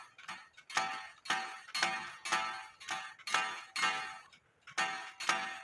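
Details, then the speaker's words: 1860 Black Forest wooden clock movement after repair: strike rings about twice a second with a sharp click each time from a hammer not yet adjusted right; side doors not yet fitted. "So you still hear the clicking noise, which I don't like, but you do hear"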